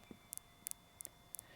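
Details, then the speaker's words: Hyundai i40 rear parking sensor with the car in reverse, microphone held near the sensor while a finger touches it: crisp paired clicks about three times a second, so this sensor works; the system shows a parking sensor fault. "if you get it so you just put your finger on it you can hear it start clicking"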